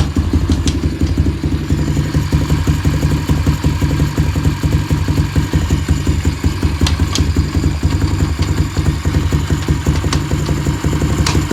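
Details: Apollo bike with busy single-cylinder idle: sharp irregular clicks every few seconds from the drive sprocket area, sprocket moving on most clicks; chain sometimes locks up while riding, cause unknown.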